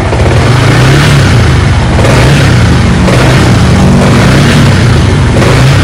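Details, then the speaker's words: Used Yamaha R15 V3, 18,000 km, showroom-checked, serviced with fresh oil, never opened: loud, gravelly single-cylinder note rising and falling with revs; slightly harsh engine sound is normal for this model. "Nah, seperti ini bunyinya. Jadi kekurangan salah satu R15 ini adalah bunyi mesinnya yang agak kasar."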